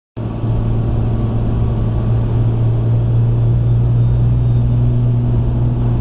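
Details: 2005 Ram 2500 5.9 Cummins, stock turbo, 5-inch RPI intake without silencer ring: thin high whine over the diesel drone, rising as boost builds above ~20 psi, supercharger-like; no shaft play or oil leaks, spins freely.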